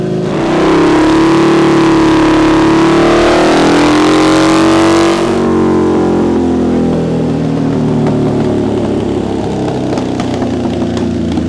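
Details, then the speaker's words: Harley V-Rod, stock 1130cc, full-throttle dyno run, about 121 hp and just under 80 lb-ft: clean rising wail as revs climb to the top then drop off, smooth and even. Healthy full-throttle run. "So the bike is actually running really well. Those numbers are actually really good for a stock 1130cc."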